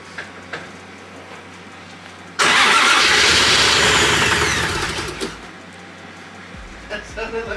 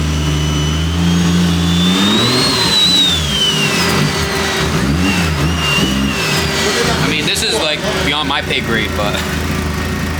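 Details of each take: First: First start of a built 1JZ-GTE swapped into a Nissan 350Z, with oil pressure slowly climbing: it catches abruptly, roars unevenly for about three seconds and dies. It sounds starved, with a very bad misfire; they plan to adjust ignition timing. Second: Scratch-built 1JZ-GTE swapped into a Nissan 350z on first start-up: picks up cleanly through a couple of revs, then settles to a steady even idle on its own; ran good.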